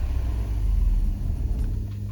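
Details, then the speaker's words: 1993 Mercedes 190, cold, with old fuel and the coolant temp gauge still pegged after a new temp sensor: a low rumble that sags and stumbles when the gas pedal is released, nearly stalling. Stumble at idle after cold start. "so you can see it just stumbles"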